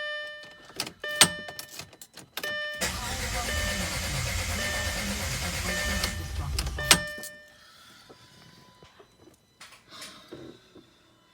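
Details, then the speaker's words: Audi A4 B7 crank no-start: warning chimes then steady cranking about four seconds, never fires, after new coils, spark plugs, spliced harness connector, alternator, starter and battery. "so hopefully you can hear this so you can see it's just not starting let's do that one more time"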